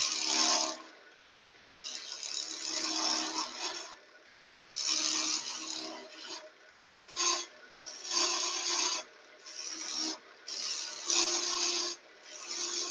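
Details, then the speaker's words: Wood lathe, detailing and flaring a spindle gone thin in the middle: repeated rasping bursts of a second or two over a steady buzzy ring; chatter while cutting, just vibration from the thin middle, nothing to worry about. "you can hear it's just a vibration because we've gone thin in the middle nothing ready to worry about"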